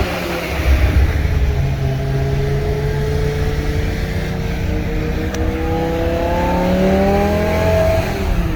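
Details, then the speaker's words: BMW E60 M5 S85 V10, about 135,000 miles, after rod bearing and valve cover replacement: pulls cleanly through the revs, pitch climbing and falling smoothly, no knocks; healthy. "let's go she's gone no weird noises there won't be any weird noise in the future"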